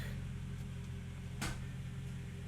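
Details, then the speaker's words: Mercedes ML55 AMG (W163) after transfer case replacement, shifting from low back to normal range: a low steady hum, then one crisp click as it engages. The click is a little loud, but this is a normal transfer case shift. "Yeah, you hear it click in. That might have been a little loud, but let me try that again. All right, clicks. Little noisy."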